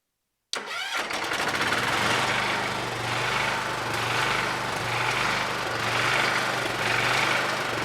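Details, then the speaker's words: John Deere 214 garden tractor after sanding the ignition points and rewiring the purple wire: half a second of quiet, then the engine cranks, catches and settles into a steady, even idle; starts and runs normally. "well sounds like she's running"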